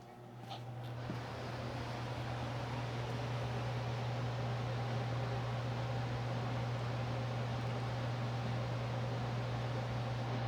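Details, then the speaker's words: DIY woodworking shop air filtration unit with three filters, before cleaning: steady fan hum and rushing air with faint irregular puffing bursts from one side; clogged filters restricting flow. "So, it kind of sounds like it has like little bursts of air coming out this side is where you can hear it from. But anyway, this is what it sounds like before I clean the filters."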